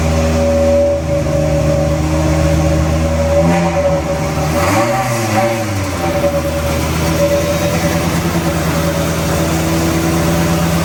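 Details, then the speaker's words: BMW M3 with V10 swap, 10-into-1 headers and a new 5-exit 3.5-inch oval custom exhaust, oxygen sensor just tightened: steady low drone with a buzzy high-pitched metallic rattle underneath; owner thinks exhaust is vibrating on the little crossmember. "something here might be Vibra that sounds so different it sounds actually really high pitch now definitely got that rattle I think it's on that um the little crossmember bit"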